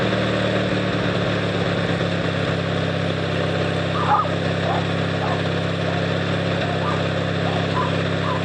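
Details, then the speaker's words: Noma 18HP riding tractor started by jumping the solenoid with pliers after charging the battery; steady even low engine drone at one speed, no misses or knocks, running smoothly. "uh yep she's a runner"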